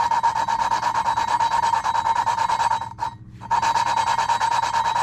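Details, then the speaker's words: Suzuki DRZ400 left intake valve being hand-lapped with grinding compound: gritty rasping with bright scrape, about three strokes a second, brief pause; still loud, so seat not yet lapped smooth — should go quiet when done. "what you do is you can actually hear it grinding it's loud right now but you want to get to the point where you can't actually hear it"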